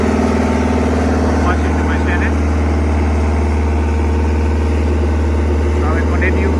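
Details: Steady low diesel clatter at idle with an even beat, settling smoothly at tickover, on a CAT 307SSR mini excavator's Mitsubishi engine after fuel injection pump installation and fuel bleeding fixed a no-start; normal idle.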